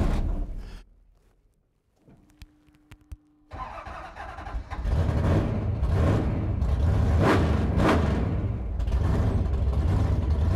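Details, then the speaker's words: Hemi V8 in the Blasphemi drag car runs lumpy and uneven after a restart, stumbling like a dead cylinder; misfire also seen earlier when another driver drove it, and not fixed by turning the two-step off; traced to a broken valvetrain part. "doesn't sound good it don't sound good it sounds like it's misfiring yeah his uh it did this when Tony drove it"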